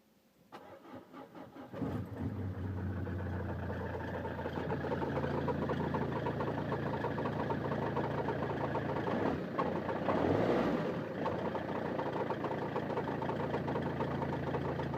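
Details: 2002 Peugeot 307 2.0 HDi 110 diesel, intermittent metallic rattle over the clatter at cold-start idle, more frequent lately; it goes with a slight throttle dab or after moving about 5 m. Owner suspects a belt or the dual-mass flywheel; unconfirmed.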